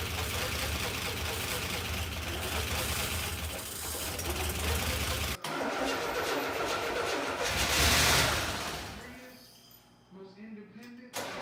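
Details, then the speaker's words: 1984 Buick Grand National, first start attempt in 28 years: the engine roars roughly while carburettor cleaner is sprayed into the intake, then fades and dies within seconds. No fuel is reaching it; the tank needs attention. "all right so now with this engine running off of carburetor clean without spraying down the intake it's time to turn our attention to the fuel tank"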